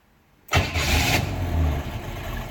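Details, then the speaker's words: 1955 Hudson Rambler hot start at about 200 degrees: a short crank, it catches at once, holds about 2,000 rpm with foot on the gas, then settles into a steady, even hot idle. Normal hot start. "And starts right up. You can see the temperature comes down. I've got my foot on the gas, so it's tacking 2,000, let the foot off the gas, idle hot."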